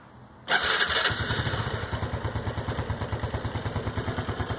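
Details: Honda Biz 110i after changing oil from 20W50 to Honda-recommended 10W30: single-cylinder idles with an even steady putter of about three beats a second; the engine noise is gone.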